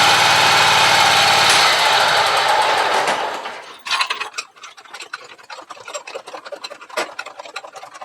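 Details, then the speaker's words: Scag mower in hot garage, belt drive running: loud whirring rattle fading over three seconds, then light ticking near 160 per minute, much racket when pressure applied to idler pulley; owner suspects idler pulley, possibly belt; belt drive noise under idler pressure. "so I'm thinking it has to do with this islur pulley there but I'm not sure because soon as you put a little pressure on there makes a lot of racket"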